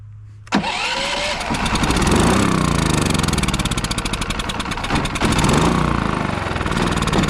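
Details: Westinghouse iGen4500DF inverter generator that would not run after almost a year in storage, now on fresh fuel with Seafoam, new battery and starting fluid: after a brief crank it catches and settles into a steady, even run with no misses or surging; normal running.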